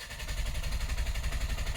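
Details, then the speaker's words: 2021-2025 Ford Bronco 2.3L manual after an oil change, cranked with the clutch and gas held fully down. Even starter chugging for 5–10 seconds without firing, to circulate oil through the system. Normal priming crank. "you can hear the engine turns over for like 5 or 10 seconds, but doesn't actually fire up. That's to get the oil all through the system."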